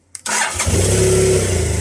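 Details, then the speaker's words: BMW GSF 650 after battery replacement: brief crank, engine catches straight away and settles into an even idle. Earlier starts were hesitant and struggling, blamed on a dodgy battery; now a clean, healthy start. "Brilliant. I think we were looking at a bit of a dodgy battery."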